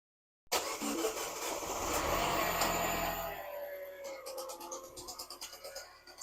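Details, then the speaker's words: Salvage Mini JCW (N14) engine at its first start after a rebuild: harsh, rattly, fast uneven banging over the idle, shut down quickly; error codes logged; crank pulley harmonic balancer knock (perished damper rubber). "after the excitement of starting the car for the very first time, but then getting out to hearing that horrendous noise, I shut the car down as soon as possible."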